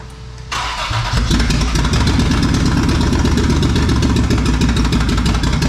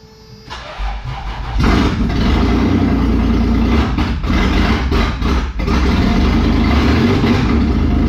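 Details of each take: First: Toyota 4Runner 3VZ-E after repairs for no compression on two cylinders: catches after a few cranks, then a loud lumpy lope with missing beats; dead miss on two cylinders from crossed spark plug leads, number four among them. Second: Toyota 4Runner 3VZ-E V6 after engine repair, exhaust and vacuum lines not connected: cranks, catches and settles into a loud steady rumble, running on all six or at least five cylinders, normal running.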